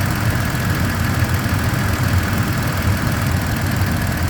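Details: 2023/2024 Tacoma TRD OR (year given both ways) at constant idle, with a steady low drone and a continuous rhythmic helicopter-like whirring; its source is unknown.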